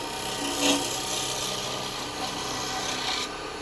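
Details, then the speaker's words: Woodturning a yew vase with a 15mm square carbide chisel: a harsh, buzzy rasp as the cutter rides off its tip in the corner. Without bevel support the tool scrapes and chatters instead of cutting. "Because it's not bevel supported. It's only bevel supported when you're on the tip. So that's why it makes that noise. That brr, if you get that noise, you know you're scraping."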